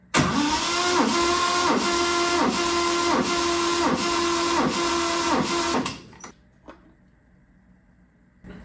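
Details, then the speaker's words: 1970 Triumph TR6 compression test, ignition coil unplugged, throttle fully open: starter grinds over slowly and evenly, about three laboring strokes a second; high compression around 165–180 psi loading the starter. "this is 165, that's pretty high compression. So that's why our starter is having a hard time."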